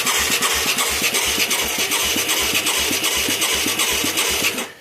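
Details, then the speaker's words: Mid-1980s Yamaha YFM200 Moto 4 ATV with new carburetor and plug, battery possibly uncharged: starter turns single cylinder in slow even pulses about four a second then stops without firing; sluggish cranking. "Sure ain't cranking very fast."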